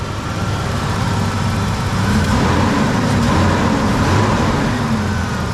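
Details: 1990s Ford Explorer that wouldn't start without starting fluid, after fixing a large rear vacuum leak found by smoke test: engine catches on the key and settles into a steady, even idle with low rumble, no stumble.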